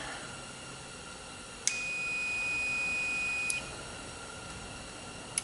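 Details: Multimeter continuity test on the switch of a vintage Kleer Flo parts washer: probe clicks, then one steady high beep for about two seconds that cuts off cleanly, showing a closed circuit.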